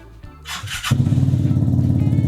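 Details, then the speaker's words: Vespa scooter with a Malossi big bore kit, started with the Malossi Force Master unit unplugged: a few cranking bursts, then it catches and settles into a steady, even putter. This shows the injector is not the fault; the Malossi unit is suspected. "Fires up. It's clearly not the injector."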